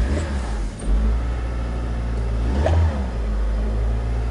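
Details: Mitsubishi with codes P0303 cylinder 3 misfire, P0170, P1313, P0135 (front O2 sensor heater), engine revved: revs rise and fall unevenly with lumpy stumbling note, fitting a single cylinder misfiring.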